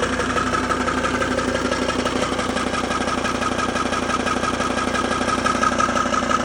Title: Knocking sound Volvo XC90 d5 - Help